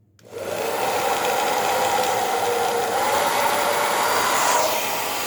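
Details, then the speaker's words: Hair dryer after being opened, cleaned and reassembled: a steady, even rush of air with a smooth motor hum and no rattling or scraping, heating properly, and the cold button working. Normal running. "olha lá, bacaninha. Esquentando legal. O botão aqui, ó, que deixa frio também, funcionando ok, ó."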